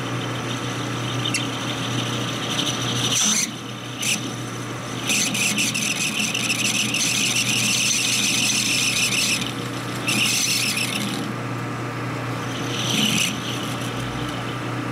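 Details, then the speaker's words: Lathe turning a 1960s Harley XL Ironhead kicker gear ratchet part: a loud, high-pitched squeal comes in bursts. The carbide insert's edge is worn away on one side, so it rubs instead of cutting. "About that much. Yeah, just gone. There is no more cutting edge on that one side."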